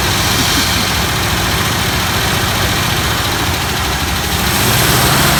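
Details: 1964 Buick LeSabre Wildcat V8, first start after 28 years on blocks, ether, old spark plugs, no coolant: loud, fairly even idle with a steady beat and no knocks or misses; runs well after long storage.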